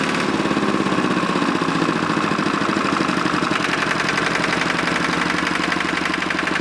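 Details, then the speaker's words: Lister diesel air compressor running set at 60 psi, after refitting a bottom drain plug: fast, even diesel chatter with a steady pulsing compressor beat and no irregular knocks; normal running. "so go fire it up I've got it set at 60 psi we'll walk around and see how she does"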